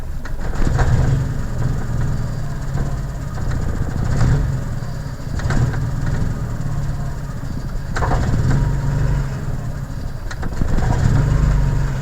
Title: F22a1 rough idle/rev